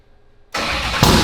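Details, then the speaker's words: Ford Coyote V8 swapped into a Fox-body, start attempt after enabling quick start and 500 rpm minimum: silence, then loud cranking with a brief surge that never settles into idle, cranking at about 0.89 lambda; won't start. "It's cranking at like 0.89 lambda, which it's not running. So."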